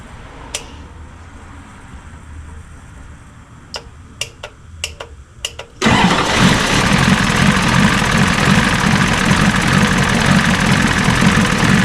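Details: 1986 Ford F350 diesel after fuel return rail repair for a leak causing smoke: running off the tank. After clicks it catches instantly into a steady, even diesel clatter at idle, with some smoke afterward; normal start and idle.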